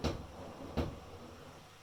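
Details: Electrolux PerfectCare 800 washing machine during a wash: two heavy hollow thumps about 0.75 s apart, like the drum banging the cabinet; knocking cause uncertain, less frequent after balancing the machine.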